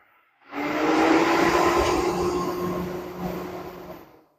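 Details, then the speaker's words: 2017 Toyota Fielder Hybrid during A/C inverter diagnosis, cooling fan commanded on by scan-tool active test: fan spins up to a smooth, even whoosh and hum, then winds down cleanly, no rubbing or grinding; normal cooling fan. "And there you have it. You hear the fan running."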